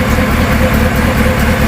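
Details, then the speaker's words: GMC 5.3-litre fifth-generation V8 gasoline direct injection engine, no check engine light: loud, deep idle with uneven throbbing pulses and heavy vibration, traced to a clogged muffler and blocked exhaust choking the engine. "देखो कितना vibration आ रहा है गाड़ी में कैसे हिल रहा है"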